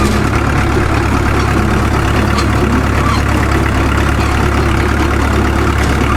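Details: Caterpillar D2 #5J1113 diesel crawler after swapping the leaking number 3 injector for another: loud, deep, even idle at about three pulses a second, the intermittent pop gone; owner says it sounds better than ever since it ran.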